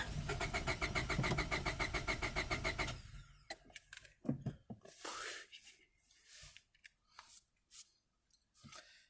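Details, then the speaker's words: 1998 Honda Civic EX, D16Y8 five-speed, long parked: fast, even cranking about 3.5 pulses per second for three seconds, popping but no start; good compression and spark suggested, fuel unknown, cause unconfirmed. "you can hear it too yeah that engine still has a lot of life in it it's got good compression and judging by the fact that it's popping off it's got Spark"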